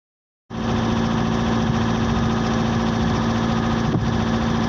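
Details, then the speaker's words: CAT 317 D2 wheeled excavator diesel, smoking and shaking; number four injector previously failed with nozzle tip broken. Steady idle with an uneven, lumpy pulse about 3–4 beats a second: misfire from a faulty injector. "so we'll see that one of our excavator is smoking and the engine is shaking as we can see right now four cylinder"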